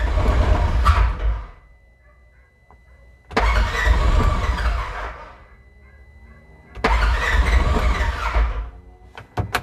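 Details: 2016 Polaris Ranger 900 XP, intermittent crank-no-start, battery about 12 volts: three separate two-second cranking bursts with a quick rhythmic churn and no pickup; cranks but won't start. Throttle body cleaning, new spark plugs and fresh fuel fixed it.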